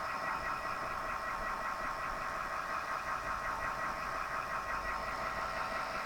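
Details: Zalman PSU makes a steady buzzing whine with a faint uneven fluttering over it; abnormal power supply noise, cause unclear.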